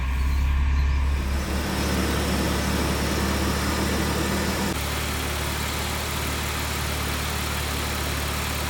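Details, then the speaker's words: BMW 320i E36 with M50B20 engine, R134a air conditioning tested and refilled: even, settled idle with steady low hum, no knocks or squeals; A/C compressor engaged and running normally. "The compressor is running, and if you compare the temperature with that at the nozzle outlet, you can see that"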